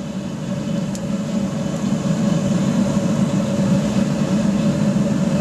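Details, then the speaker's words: Pot belly stove converted to a gravity-fed waste oil burner with a small blower, just after startup with an initial pop: a steady, even roar with a low rumble and no surging or popping; fully lit and burning cleanly. "so where you can hear that's well and truly off and running quite nicely real nice easy startup with a uh a bit of excitement with a bit of a pop to let you know it's on its way bloody beautiful already burning nice and clean"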